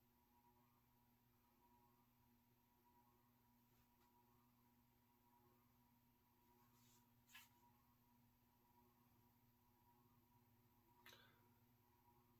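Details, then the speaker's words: 1984 Evergo 52-inch ceiling fan, model 5E-5LW P3S, three-speed reversible, cast iron spinner motor with teak blades, on low speed: faint steady hum with a constant electrical buzz, unusual for this make. "Pretty buzzy here on the low speed. Pretty atypical for Evergo fans."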